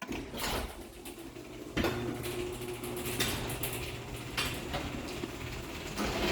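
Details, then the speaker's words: Linear LDCO 850 DC chain-drive garage door opener: quiet motor hum under scraping, clacking and squeaks from the door, which needs lubrication, plus normal chain-over-sprocket noise; noisy door, not the opener. "So I know obviously you can hear the door is kind of loud. I need to lube it up some. And you can also hear the chain going around the sprocket, which is normal for a chain drive."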